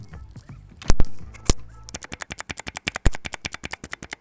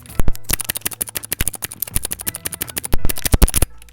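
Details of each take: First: Mechanical keyboard after switches were opened and lubed by hand: steady run of even, soft keystroke clacks at several per second with no scratch or spring ping; smooth, well-lubed switches. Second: Mechanical keyboard, I key switch before lubing: rapid run of sharp, hollow key clacks with a dry, slightly scratchy edge on each press, typical of an unlubricated switch.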